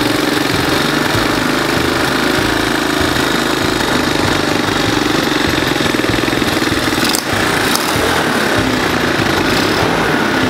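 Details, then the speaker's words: Donor lawn mower running after solenoid replacement; busy single-cylinder putter at steady pace with brief dip, no grinding or knocking, drives and reverses, normal running. "we got it running we know it drives goes in Reverse"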